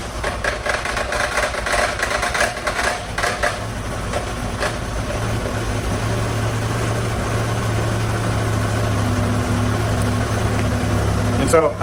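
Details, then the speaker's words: 1997 Chevy S10 four-cylinder with low compression on cylinder 3, cold start; loose rapid clatter for the first few seconds that settles to a plain idle; worn belt tensioner. "um but I get this kind of like weird clanking noise I don't know let me start it it usually only happens when the engine's cold"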